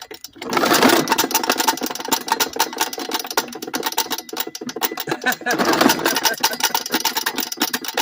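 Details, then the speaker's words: Old modified Swamp Rat 2000 mower with a cracked engine block that lost its oil: fast, ragged chattering with uneven surges and dips, popping as it struggles to stay running. "this drive actually yeah it's popping and farting oh"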